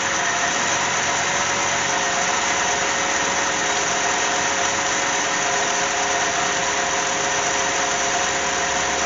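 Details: 2007 Cadillac with a GM 3.6 VVT engine after fuel injector and coil work for a cylinder #1 misfire; smooth even idle, no miss or stumble, steady hum; running evenly on all cylinders.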